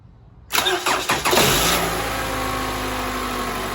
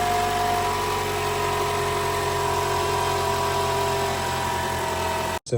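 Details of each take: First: 2012 Toyota Camry 2.5L 2AR-FE after replacing the spring in the VVT-i intake cam gear to fix a cold-start rattle: brief crank, clean catch, smooth steady idle with no rattle. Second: 2012 Toyota Camry 2.5 L 2AR-FE, cold morning start: harsh, busy rattle over idle from the VVT-i intake cam gear; fix is replacing the spring inside the intake cam gear.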